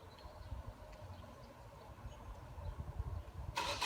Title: It's weekend: And the car won't start